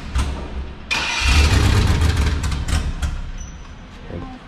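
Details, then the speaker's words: 2003 GMC Yukon XL boosted 5.3L V8, just after DeatschWerks DW400 drop-in fuel pump install: cranks, catches with rough surge, revs sag unevenly; hard start, not staying running, cause unconfirmed. "it might not be happy because it's on ignite now but try it again it'll stay running eventually"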